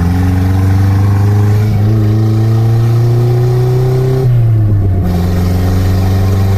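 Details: Toyota Carina after engine rebuild and new head gasket, after reassembly: revs climb and drop cleanly with an even exhaust note and no knocking through the rev range; a healthy engine.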